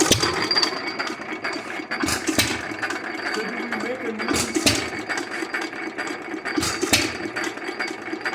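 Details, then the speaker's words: Lauson 2hp hit-or-miss engine, first run after cam gear replacement (old cam bent and wobbling): regular, clean firing bangs every couple of seconds with quiet coasting between; running properly. "sounds good runs good I'd leave her be no she sounds dumb good"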